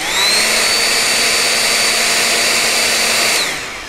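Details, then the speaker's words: Nikola Plus electric unicycle's cooling fan: high buzzy whirring whine that spins up, holds, then winds down; it puts out a lot of air, and the owner suspects low-quality bearings and possibly variable speed. "it puts out a lot of air so I can just hear it it's a it's just a its basic crappy fan it's a low quality fan"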